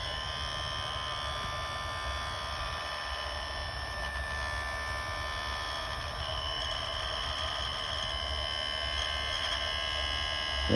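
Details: Kenmore dishwasher, model 587.14119401, with a loud high whine, almost a whistle, over a low motor hum for two months; the drain/inlet valve was replaced without change, and the failing circulation pump (154859101) was the cause.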